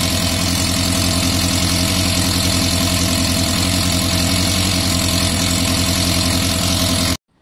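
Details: Yamaha Fazer FZS 600 four-cylinder project bike at first start-up after carb refit, fuel leaking from a float bowl: loud steady idle with fast light tappet ticking; valves may need adjusting, more likely just need proper lubrication and will loosen up over time.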